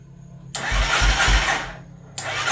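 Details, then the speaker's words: 1989 Yamaha Warrior ATV that caught fire: the starter cranks in steady bursts with compression pulses even after a shot of starting fluid, but it never fires. There is no spark and it only cranks with the kill switch off; kill switch wiring is suspected. "Yeah, I've got nothing over here at least. Yeah, that's nothing."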